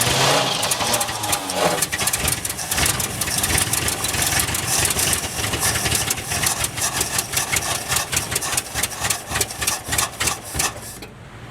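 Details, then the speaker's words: 1967 Chevy one-ton pickup: long steady cranking at about 100 turns a minute with no firing; fuel in the tank but no fuel being delivered to the engine. "no gas coming yet okay it says it has fuel in the tank okay try that no fuel"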